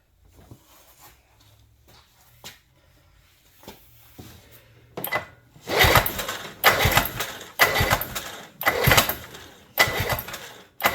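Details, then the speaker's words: 1976 Johnson 440JX two-stroke snowmobile, long-sitting, carburetor flange partly taped to lean it out (suspected running rich): repeated harsh cranking pulls about once a second with no catch; starting fluid gave a pop but it won't rev. Carburetor lacks its metering device, to be rebuilt with a new kit. "Okay, one of our last tricks for today, we heard it pop. I sprayed a little starting fluid in. I mean, all it would do is did it, it won't rev up."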